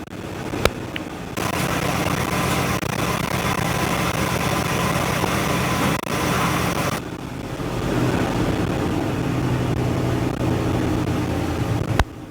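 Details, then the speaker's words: 1964 Chevrolet C10 first start after 23 years sitting, fed by a fuel-filled hose into the carb bowl with the choke set by hand: catches and runs with an uneven, lumpy beat that won't idle, otherwise running well with no smoke. "Doesn't want to idle, but that's to be expected. It runs. It sounds like it runs pretty darn good too."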